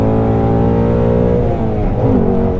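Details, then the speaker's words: 2016 Shelby GT350 Voodoo V8 on the road, after valve cover gasket replacement, pulling from 40 mph at 4000 rpm to near 7500: note climbs hard and smooth toward redline, no misses or knocks; healthy engine. "i can't bring myself to go much past 7 500 and it's not from like what anything feels like it's what it sounds like it sounds like it sounds like you need to shift"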